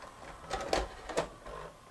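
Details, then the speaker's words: Sony SLV-N700 VHS VCR: on eject it takes the tape back with soft gear whirs and two clean clicks, no grinding or skipping; normal eject. "let's eject it make sure it takes the tape back"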